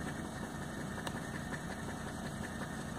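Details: 1985 Mercedes 300TD (S123) with 500,000 km, first start after sitting outside for a year: steady, even diesel clatter at idle with no knocks or misses; normal diesel idle.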